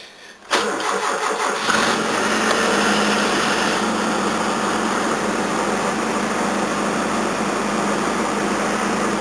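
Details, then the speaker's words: 1981 Toyota Corona RT132R, 18R-C engine, cold start at about 10°C with one pump for choke, then choke down one stage: cranks, catches and idles unevenly, running poorly; valves too tight with no clearance, and chain rattle is present. "Oh, that's with the choke on. I'll let that run for a bit. Let's turn the choke down one stage. Yeah, it's not running very well."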